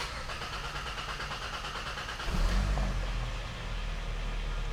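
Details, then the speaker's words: 2012 Hyundai Sonata 2.4L GDI with low power, misfire and check engine light: starter churns steadily about 3 seconds before catching, repeatable every start; fuel-system fault; long crank before start. "So pretty solid, 3-second crank time on that. Definitely excessive."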